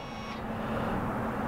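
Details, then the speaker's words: After brake caliper replacement, the electronic parking brake recalibrates: a brief buzzer tone, then a steady low electric whir of the parking brake motors. This is normal. "Now what it's doing is it's recalibrating my parking"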